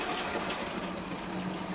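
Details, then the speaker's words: Bachmann OO gauge SE&CR C Class 0-6-0 steam locomotive running on track; thin high squeak about three times a second in step with the wheels, coming from the loco not the tender, from dry crank pins, cured by oiling them. "that's definitely coming from the loco not the tender and so i think what i'm going to do is i'm going to put some lubrication on those crank points because i have a feeling that that might be causing the issue"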